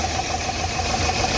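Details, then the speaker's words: Nissan Terrano diesel idling rough and uneven with a sharp ticking knock about seven a second. It is misfiring heavily because an injector is not working, with code P0203; the plan is to check it with a scan tool. "देख सकते हो कैसा मिशिंग कर रहा है य कोई इस इंजेक्टर जो है ना काम नहीं कर रहा है बरोबर काफी ज्यादा मिसिंग है इसके अंदर"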